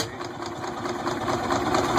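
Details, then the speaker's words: Rebuilt 1926 John Deere hit-and-miss gas engine, smoking: quick regular light ticking that builds slightly, no knocks or stumbles, little vibration; runs smoother than before the rebuild and no longer dies. "But it's running smooth. Sounds good."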